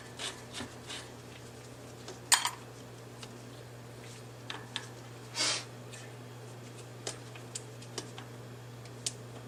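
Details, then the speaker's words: NuVinci N360 bicycle hub, about three years old and worn, in its highest overdrive position: sparse sharp clicks at uneven intervals over a quiet steady hum; clicking from the internal gear hub, operation seemingly not yet affected. "it's on its last legs started making a clicking sound and it's in its highest overdrive position I don't like it doesn't sound good"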